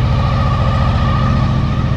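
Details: 2000 Honda VFR800 fuel-injected V4, first start after six months' winter storage on old fuel, cold, after fixing a loose ignition coil contact that killed one cylinder: even quick low thumping, no misses; smooth idle on all cylinders.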